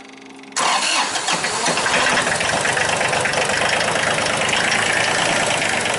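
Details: 2005 Massey Ferguson tractor with a Japanese 3-cylinder diesel, a crank no-start. After the fuel pressure line was tightened, the diesel catches straight away and settles into a steady, even clatter on all cylinders, sounding healthy.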